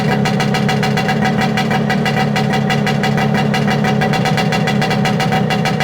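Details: Yamaha P125A two-stroke outboard (about 1970–71), after a rebuild and petrol conversion, warm restart with no choke: crisp, even pops at a steady fast idle, no misses, healthy.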